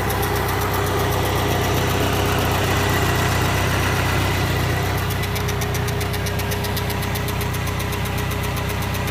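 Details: K100RT engine running steadily with a regular knock about three times a second riding over it; abnormal knocking, cause not pinned down.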